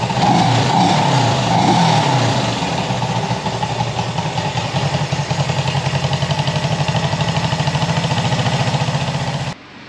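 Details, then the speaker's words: Warm Honda CB360 twin revving: lumpy, uneven beat of about four pulses a second; rough running, owner suspects one cylinder down, possibly ignition coil, not yet diagnosed. "oh yeah we'll see i guess the old ear you know says that's that sounds pretty good you can hear when one cylinder is down though"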